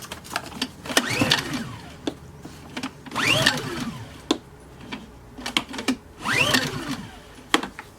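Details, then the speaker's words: Honda EU2000i inverter generator, unknown condition and hours, bad gas suspected: three pull-cord strokes, each whirring and dying with no firing; spark present but maybe weak. Cranks but won't start. "not getting any spark or it's not sounding like it's wanting to fire"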